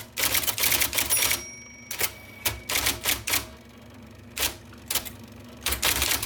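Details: 1979 IBM Selectric II (non-correcting) typewriter, restored after a miswired plug, cleaning, flushing and lubrication: crisp bursts of sharp type-ball clacks at an irregular typing pace with brief pauses; normal, healthy, even typing.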